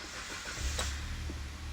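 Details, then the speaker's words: Kia/Hyundai petrol engine after new spark plugs, top-up, codes cleared: quick start into a smooth, even idle, no miss, engine light out; previously very tappy, now much quieter. "Engine light out. And that's as smooth as you like."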